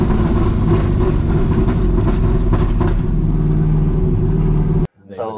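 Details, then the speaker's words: Mazda RX7 with LS3 V8 swap, running a BMW tune: deep V8 rumble broken by irregular sharp cracks, three or four a second, on deceleration: popping and banging on lift-off; owner would like it tuned out. "ff right on d cell it's popping and banging everywhere yeah it's kind of annoying i try to you know get it re-tuned out you know but it's it's been i've been lazy but i mean it sounds pretty cool"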